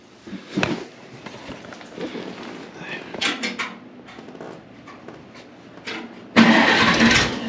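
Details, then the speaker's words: 1948 Farmall Cub tractor, long stored over winter, cold start on a day in the 30s °F before an oil change: quiet stretch, then it cranks and catches at once into a loud, steady run; starts fine after long sitting. "We're going to change oil and get it running for a little bit, warm it up. It's been sitting a long time. See if she fires off."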